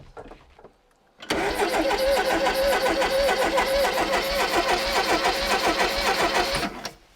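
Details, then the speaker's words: Mk1 Ford Fiesta Super Sport barn find, parked on blocks about 20 years: starter spins the engine freely at an even rhythm for about five seconds with no catch; no spark. "No spark. No spark, but it's definitely turning nice and free."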